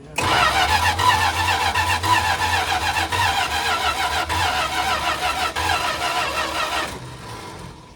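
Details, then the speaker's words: 1979 Dodge B200 Maxivan abandoned 25–30 years, with a rebuilt carb: a brief crank, then an uneven, lumpy V8 beat before it dies away. Rough running, possibly a misfire, cause unclear. "sounds weird it sounds good I can't tell it sounds very strange to me but it's running and does it sound like a misfire sounds sounds kind of funky"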